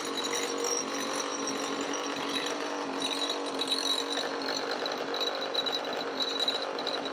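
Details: Roughly 20-year-old 50cc two-stroke mini moto engine, exhaust temporarily held on with elastic bands and a cable tie: sharp, buzzy high-pitched rasp held fairly steady with a rattly edge on the hand throttle; runs cleanly.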